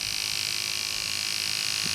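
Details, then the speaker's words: Andis SMC 5-Speed clipper after fitting a new front motor mount (was making noise): steady, even high-pitched buzz with no rattle, knock or speed wobble; cam running nicely, all speeds work, healthy. "if you can hear it it's all good cam's running nicely all the speeds work"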